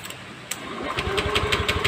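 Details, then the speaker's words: Honda Scoopy eSP scooter, brought in not starting; scan showed injector code 12 and a blown injector fuse. Starter churns steadily, about six beats a second, never catches; ECU sends no negative (ground) signal when cranking, so the ECU is confirmed faulty. "ternyata ini kita engkol pun kita hidupkan Mesinnya tidak ada sinyal negatif yang dikirim dari Ecu jadi bisa dipastikan ecunya ini sudah minta"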